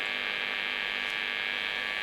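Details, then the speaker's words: Marshall 30W Lead JMP2201 amp powered up on the bench, mic brought closer: steady harsh mains hum buzz, unchanging; suspected interference from nearby fluorescent lights, to be tested by moving it to the floor. "It's got a sort of bit of a nasty mains hum buzz. May or may not be able to do something about that. I'll try taking it off the bench and putting it on the floor away from the fluorescent lights."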